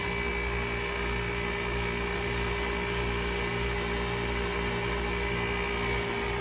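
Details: Old 2008 KKT chiller with hot gas bypass capacity control, set point 9 °C, after contactor replacement: steady even compressor drone with constant hum and fan rush, no knocks or surging; runs smoothly, in tune, though circuit two compressor reportedly has a problem.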